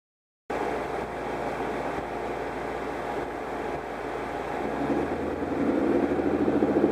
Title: DIGIROLAMO MISFIRE 2